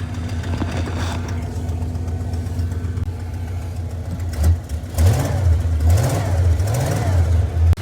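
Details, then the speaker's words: 1988 Ford F250 with 460 gasoline engine after a no-crank no-start caused by a corroded, badly wired neutral safety switch, started with the switch jumpered: steady even low idle rumble with clean throttle blips. Runs healthy. "And whenever I jump those on my neutral safety switch, and whenever I turn on my ignition switch, like this, truck starts."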